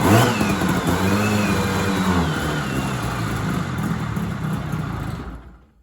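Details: 1970s Sno-Pony snowmobile with a JLO 340 twin two-stroke, sat 20-30 years with a rusty tank and not drawing fuel well: revs up and down cleanly with an even beat, then runs down and stops. The engine sounds good; normal revving.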